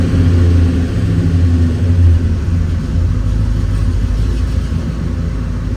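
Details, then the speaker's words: 1968 Chevelle wagon after reseating a loose spark plug boot, gas pedal held steady: rumble surges and stumbles unevenly, still a persistent miss. "Still something of a miss. You see that? I'm holding the gas pedal steady."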